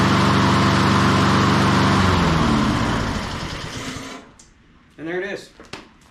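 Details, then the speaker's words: Honda HRN216 mower, one season old, after no-start repair with carburetor cleaning, fresh fuel and spark plug check: single-cylinder starts first pull, runs smooth and even with no misses, winds down cleanly at shutoff. "there she is first pull I figured to take at least two or three but uh yeah first pull"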